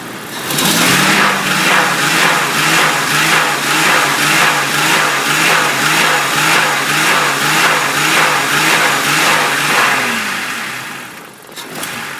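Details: Hard revs with a steady pulsing beat about twice a second on a 1998 Jeep Cherokee 4.0L inline-six, 190k miles, AW4 automatic; it stalls at idle and knocks when revved; cause unknown.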